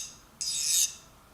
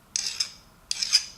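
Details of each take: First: File test on a removed spring-loaded ratchet pawl during ratchet teardown: a half-second high, glassy rasp, like running on glass, as the file skates without biting; the pawl is properly hardened. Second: Nicholson file test on a ratchet gear: three gritty biting strokes about 0.7 s apart; the file cuts and shaves teeth, so the gear steel is unhardened.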